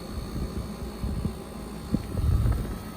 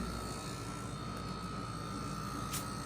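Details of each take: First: Black+Decker portable air conditioner/heat pump in cooling mode, air around 40 degrees and exhaust tube getting warm: low, steady compressor and fan hum with a couple of light bumps; running evenly, nothing abnormal. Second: Portable heat pump on first startup at maximum heat: loud steady hum with a constant high whine on top; compressor very loud, airflow seems not limited, may be normal.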